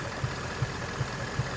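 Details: 2017 Ford Mustang GT 5.0 Coyote V8 idling, codes P0302/P0316, cylinder 2 misfire; coils, spark plugs, direct and port injectors already replaced, cause unfound; steady idle with a dull thump about every 0.4 seconds breaking the rhythm.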